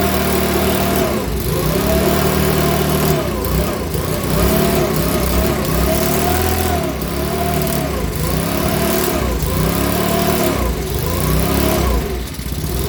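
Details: Makita BHX2500 four-stroke leaf blower, after valve clearance and timing check, NGK plug checked, airbox off: speed rises and falls about once a second in steady hunting cycle; rough running with surging, owner reckons it needs a new carburettor.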